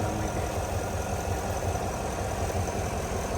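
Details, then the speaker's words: 2022 Chevrolet Suburban V8 after engine noise/misfire repair with flashing check-engine light. Even, steady idle with a smooth low rumble and no ticking or knocking; runs well, no oil or coolant leaks. "Podemos ver que ya está funcionando bien el motor después de toda la separación que se hizo, ¿no?"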